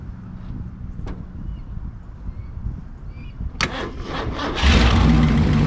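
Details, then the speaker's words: 1968 Lincoln Continental 462 V8 idling after an oil and filter change to Rotella diesel oil to cure a valve tick; it fires, catches and settles into a smooth, even idle with no lifter tick, much quieter, before warm-up. Normal idle. "i hate myself it's a lot quieter"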